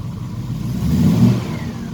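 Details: Triumph Stag V8 after engine rebuild: blips and settles with a faint thin whine rising and falling with revs; starts only after revving to extinguish the ignition light, owner unsure if coincidence.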